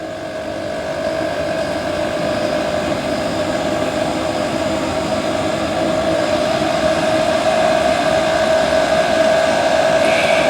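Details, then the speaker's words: 5KW/8KW diesel heater after upgrade from a sealed can motor to a rebuildable blower motor, running as fuel reaches the burner; steady fan drone with an uneven light rattle, owner suspects the internal blower wheel hitting the gasket, unconfirmed. "he was like rattling please don't rattle i can hear it rattling already"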